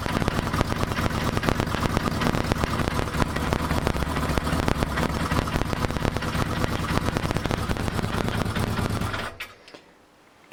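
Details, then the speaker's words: 1982 Kawasaki KZ750 LTD, after top-end rebuild for valve seals and carb float adjustment: repeated starter grinding and chattering bursts during cranking, then sudden cut-off, won't start in one go; slipping worn starter clutch. "actually eventually starts um but you can just hear that the starter clutch is giving issues so it won't start in just one go"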